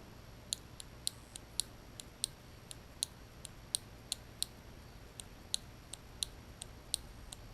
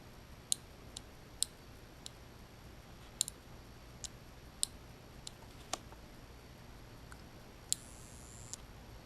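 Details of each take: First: 1989 Lotus Esprit Turbo fuel injector pulsing on the bench: crisp, sharp regular clicks, about twenty in under eight seconds; this injector sounds good, unlike another that buzzed. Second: 1989 Lotus Esprit Turbo fuel injectors bench-tested on 12 V: three click cleanly, but one makes brief high buzzes instead; the fault is unknown; testing followed a dangerously overheating catalytic converter.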